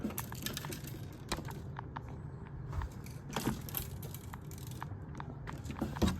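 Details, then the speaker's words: Shipping-damaged audio unit with two smashed faders from insufficient packaging, being shaken: irregular light clicks and rattles of something loose tumbling inside the casing. "However, this is the other thing. The unit has something loose inside."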